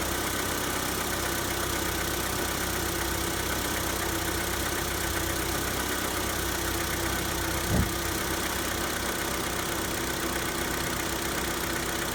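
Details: Hyundai Santa Fe G4KE engine on cold start: cold idle with faint, uneven tapping about four times a second over the engine hum; a cold-start knock.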